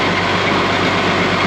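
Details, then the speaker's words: Case 5230 tractor that wouldn't drive, after jumping a wire unhooked from the cylinder relay: heavy, steady diesel rumble with constant low drone as it pulls away, transmission engaging; drive now works normally. "You can hear it engaging."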